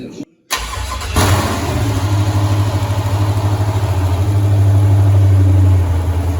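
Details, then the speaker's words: 1983 Ford Mustang with rebuilt 5.3 LS V8 (from 2002 Avalanche, upgraded cam and valvetrain) and 4L60E, first start: engine catches after a short crank and settles into a steady, choppy lopey idle with even firing; sounds healthy, normal. "All right. So we fired the motor up there. Everything sounds good there."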